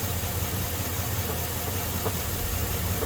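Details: 2002 Chevy Silverado 5.3 V8 started on a jump pack (battery dead): low, steady idle rumble with a faint, irregular knock about once a second. Suspected broken crank, broken flywheel or loose torque converter bolts; unconfirmed.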